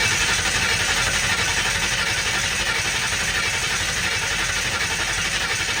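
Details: 1960 Ford F100 shop truck, first start in years, open header, carb sprayed with MAF cleaner as starting fluid, 50 psi oil pressure: steady churning crank, never keeps running; cause suspected, not confirmed.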